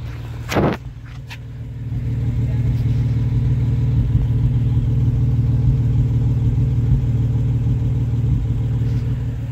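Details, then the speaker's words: Honda V6 idling, heard at the exhaust: uneven, lumpy idle with dull popping beat, misfire codes when driving; owner assumes fouled spark plugs, O2 sensors black, before plug change, which fixed it: engine misfire. "guys hear that it's not smooth that's a misfire and I get misfire codes to when I Drive"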